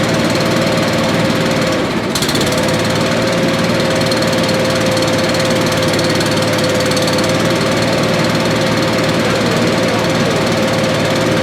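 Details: Billy Goat leaf blower, Briggs & Stratton 9.5 hp single found headed to scrap, sooty plug, low compression, slightly choked: loud steady single-cylinder roar with no misses or backfires, running well.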